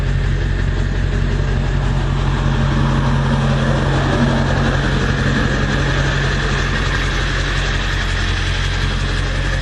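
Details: 1999 Ford F-350 Powerstroke diesel after engine swap, about 14,000 miles on replacement engine, 4-inch exhaust, heard outside: steady even diesel clatter at idle under deep exhaust rumble, no misses or knocks; running healthy, some oil leaks being chased.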